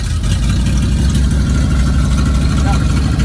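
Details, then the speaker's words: 1979 Ford F-250 Custom, 460 big-block V8, C6 transmission, 132,000 miles, just started after pumping the throttle twice: deep, even rumble with steady low firing pulses, no rattle or ticking; healthy idle. "listen to this. There's no rattle in that cage. There's no rattle in that cage."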